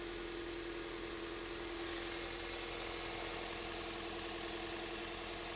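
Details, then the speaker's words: 2001 Toyota Avensis, owner reported bubbling noise, idling: steady idle with a faint uneven lope and light buzzing hum; scope shows no spark from cylinder four coil, dead cylinder from failed ignition coil; misfire at idle. "but number four we're getting absolutely nothing"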